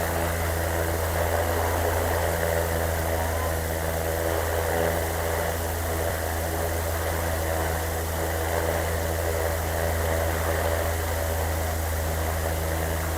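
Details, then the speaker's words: 80-watt BLDC air cooler fan motor measured at 84 W, about 1700–1800 rpm at high speed: steady even hum with smooth whoosh of air, no rattles or scraping; running normally. "तकरीबन ये 1700-1800 RPM ले रही है इस time, high speed के ऊपर।"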